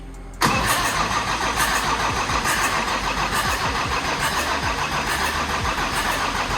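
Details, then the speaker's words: OM606 turbo diesel swapped into a Datsun 240Z, oil drained, cranked in the car to build oil pressure before first start: starter spins the engine at a steady three to four beats a second without firing; normal cranking. "so what we want to do is crank it to get oil pressure uh because it's been drained since the last time"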